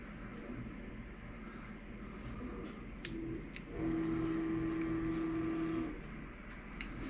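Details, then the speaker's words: Creality Ender 3 Pro after upgrade to 4.2.7 silent mainboard, first print: very faint soft whirring with brief higher motor tones, barely audible, previously very noisy; normal quiet printing. "boy that is so quiet now you can't even tell it's running you gotta like that"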